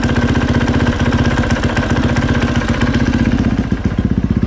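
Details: 2020 KTM 450 SXF at idle with the clutch let out: rapid, regular knocking and tapping at about four per second from the clutch area; worn rubber clutch dampeners letting parts hit.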